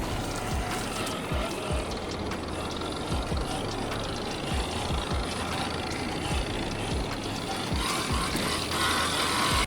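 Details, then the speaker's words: Rlaarlo JK-07 1/7-scale 4WD brushless RC crawler on a 3S pack, crawling: uneven ticking, a couple of clicks per second, under the motor and gear noise; clicking from the transmission, likened to an idling diesel. "But the one thing that's kind of bothering me is there's definitely a clicking from the transmission. You guys hear that? It actually almost sounds like an idling diesel Gladiator."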